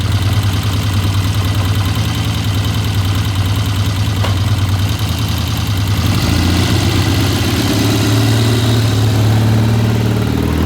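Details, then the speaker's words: 1972 Triumph TR6 vintage British motorcycle on a test ride after repair, cold: a lumpy, uneven low idle with irregular pulses that firm up as revs rise; it runs rough, and the owner suspects it may just be slow to warm up. "it sounds a little rough let's get it out there and get it warmed up"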